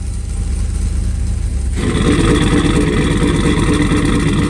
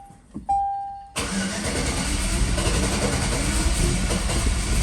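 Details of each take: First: Turbocharged sleeper build after reconnecting the spark plug wires that had been left off, no O2 sensors fitted: the engine catches and revs strongly and evenly on all cylinders with no misfire; the turbo is barely audible. It runs properly. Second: 2004 Chevy Colorado with a cammed 5.3L LS and hidden turbo kit, first start: cranks and catches, then a lumpy, uneven idle with a heavy lope; running on only four cylinders because half the spark plugs had no power source.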